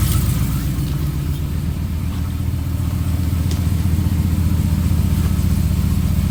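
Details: 2015 Ram 5.7L Hemi with long-tube headers, almost 18k miles: V8 idling with a loud, deep exhaust and a light, fairly regular knock that recently started and is less noticeable once warm; the owner suspects piston slap; cause unconfirmed.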